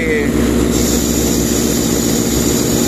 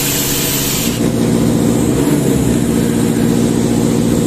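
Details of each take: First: Sullair 260 diesel compressor: steady even drone with no hunting, knocks or surging; accelerates and decelerates without problem; normal running. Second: Sullair 260 diesel compressor under load, poorly maintained, burning smell: heavy labouring drone with uneven beat, never picking up speed, not reaching pressure; speed control problem from misadjusted speed regulator; engine bogging.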